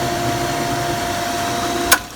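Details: Tristar pool pump motor after replacing the start capacitor, which had caused a buzzing no-start: it now starts and runs with a steady, even hum, ending in a sharp click at switch-off.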